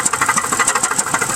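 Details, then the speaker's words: 2001 Pontiac Grand Prix GTP, supercharger belt off, jump-started after sitting a year. Fast, steady metallic rapping over a rough idle, with smoke from the oil cap. A bad piston is knocking and the engine needs replacing. "there's a bad piston in there man it needs a new engine but it still starts i had to jump it"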